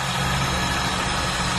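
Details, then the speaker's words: Car engine idling with AC switched on: steady rough whirring hiss over the accessory drive from the AC compressor pulley bearing, later replaced (part no. 30BG5220); worn AC compressor pulley bearing. "So narinig nyo naman dun sa video natin yung ingay ng makina pag may ingay na yung pag may problema na ang bearing."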